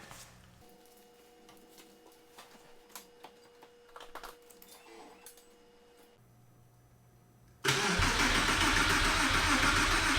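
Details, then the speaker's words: Porsche 996 911 Carrera 4 being started for the first time after engine-out work and reinstallation. With the fuel pump relay pulled, the starter spins the engine at an even, rapid churn with no firing, before the oil pressure check. This is cranking only. "we're gonna crank it for a short bit first before actually running it i have pulled the fuel pump relay which should allow us to crank it because there's absolutely no fuel like in the rails that would combust anyway"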